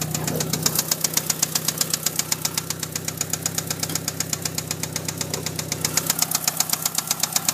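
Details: 1997 Eclipse GST at idle: a sharp, steady tick of about two and a half beats a second over the low idle; the owner asks whether it is a knock or a tick, cause unknown.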